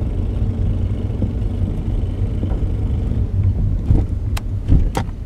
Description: 2004 Acura RL making clicking noises when accelerating... what is it?